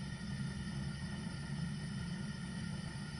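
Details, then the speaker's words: Zhukovsky gas heating boiler made in 1997, gas tap about a quarter open: steady low burner roar with a faint, uneven grunting flutter underneath, signalling combustion instability; cause not found. "то есть шум горелки газа и шум какой-то нестабильности горения"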